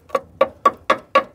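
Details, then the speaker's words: Tap test on the sill (rocker panel) of a 2000 Rover 75 Club 1.8 K-series, where crust was picked off: six crisp taps about four a second, ringing clear and bright rather than dull; sill metal is solid. "even where I've just P that crust off it it sounds nice and what are you listening for what sort of noise is well if it's rotten it would just sound dull dull yeah but it's not"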